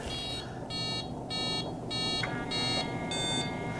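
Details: Killer RC Super Bee kill switch on a Losi 5ive-T 2.0 during setup: an even run of short beeps, about one every 0.6 s, counts out the cutoff setting. It lands on five instead of the intended six.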